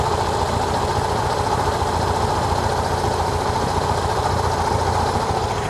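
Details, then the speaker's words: 1968 VW Type 3 air-cooled flat-four with dual 34 carbs, timing about 10 degrees at rest: even, steady low idle with only a faint valve tick; very quiet, normal idle. "Yeah, I like to hear just a little bit of the valve noise, even when adjusted properly. This car's so quiet."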